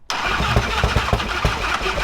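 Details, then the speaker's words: Toyota FJ55 Land Cruiser engine first start: rough firing with heavy irregular low knocks, smoking; has good compression, so suspected bottom-end knock. "Yeah. Knock there. That's bottom end. Is it the bottom end? Mhm. We're thinking that it's the bottom end cuz it does not sound bueno."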